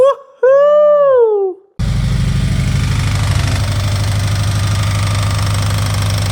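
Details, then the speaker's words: Subaru STI on first startup after build, steady low rapid knocking at rough idle; timing component bearing found puking grease, owner suspects injector, timing or early connecting rod bearing failure, possibly down the middle, unconfirmed. "Sounds like it's right here. Maybe bad injector, but here's this. Well, maybe it's timing. I don't know. It is making noise."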